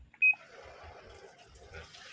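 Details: Panasonic washing machine showing error code E3: one short, sharp high-pitched error beep near the start, then only faint room hum; cause not confirmed.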